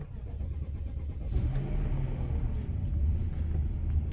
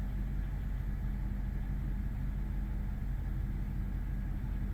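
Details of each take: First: 2005 BMW 745Li V8 after sitting almost two months, leaking oil and power steering fluid, possibly low battery power (lights flashing), low on fuel: labored, slow churning crank before catching after about 1.5 s into a low rumble; hard start, cause unconfirmed. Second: 2005 BMW 745Li V8 just after a hard start after sitting almost two months, low fuel, cold and warming up: deep, steady low rumble with even beat, no ticking or knocking; normal cold idle.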